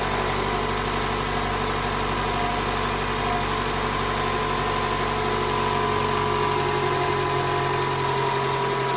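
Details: 2012 Toyota Camry 2.5 L 2AR-FE after replacing the spring in the VVTi intake cam gear: running with a smooth, even idle, steady low hum and the cold-start rattle gone; normal idle after repair.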